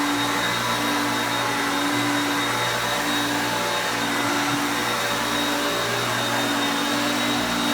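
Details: Hoover Concepts self-propelled vacuum on carpet. Loud steady motor roar with a constant high whine, even and smooth; normal running.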